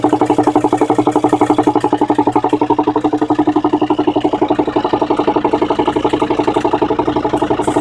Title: 2003 Volvo V70 D5 engine popping noise (vacuum/engine mount issue)